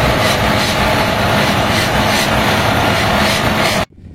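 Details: HB365 with an EGR-type turbocharger at high idle; loud steady roar with a harsh scraping rush over it. Severe turbocharger rubbing.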